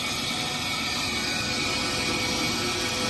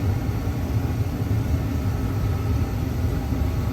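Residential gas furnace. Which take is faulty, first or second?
first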